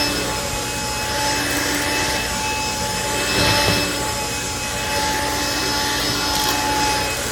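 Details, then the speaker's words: Black & Decker Floor Buster SV3000, a 1990s cordless VersaPack vacuum, making passes in bare-floor and carpet modes over oatmeal. Steady high motor whine with a hissing airflow rush swelling on each pass; weak suction pickup, missing debris along the edges. "It's definitely a quirky little machine, but pickup-wise, I'm not too impressed."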